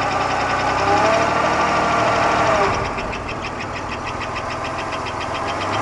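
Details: 1991 Buick Park Avenue 3.8L V6, noise began half a year ago; loud steady knock about four times a second at idle right after start, hot or cold, unchanged with accessory belt removed, performance and oil pressure normal; engine knocking, source unknown.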